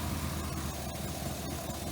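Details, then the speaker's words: 1967 Pontiac Parisienne V8 at idle with a newly cobbled exhaust to two mufflers, after confirming ~58 psi fuel pressure, spark and good compression; deep burble with uneven loping beat and odd stumble. Running much better but owner suspects a misfire on cylinder 6. "folks, we got this thing purring a lot better. It still might have an odd misfire on cylinder 6."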